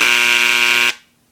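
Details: Dremel engraver set to the higher 3rd speed setting: loud, steady, high-pitched buzz with a harsh edge, then a clean stop; normal engraver buzz at higher speed.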